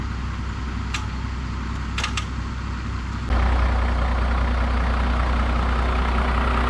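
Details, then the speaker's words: 2016 Ford 6.7 Powerstroke diesel, wrecked and sitting outside for months, jump-started from another truck: after a quiet background it catches at once and settles into a steady, even diesel idle. Starts and runs normally. "well the 6.7 fired right up after a little help from the dodge"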